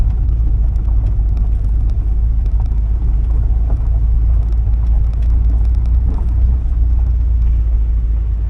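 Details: 1979 Porsche 924 road test after fuel system cleaning, a new filter and an alignment: deep, even engine drone under road noise, pulling smoothly with no knocks, misses or squeals; fifth gear noted. Oil pressure and charging good, temperature mid-gauge. Sounds healthy.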